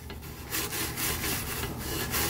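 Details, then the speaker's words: Anet A8 3D printer bed levelling: dry scraping rasp as the head is pushed by hand, nozzle dragging on the bed set too high; fixed by backing off the adjuster until it just grabs, then tightening the nut. "all right so you hear just grabbing and then we tighten that up tighten up sorry then we tighten up the nut so it doesn't move"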